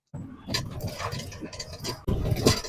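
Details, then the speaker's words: Car driven over a broken concrete village road: irregular hard metallic underbody bangs in short bursts. No noise on asphalt bumps or manhole covers, so strut top mounts are ruled out. A torn, loose anti-roll bar drop link is suspected; arm bushings look fine. "这打铁声音。这种声音呢，在柏油路面颠簸不响，柏油路面那个井盖上面也不响，只有我回村子以后啊，那个破水泥路上面啪啪啪啪的响"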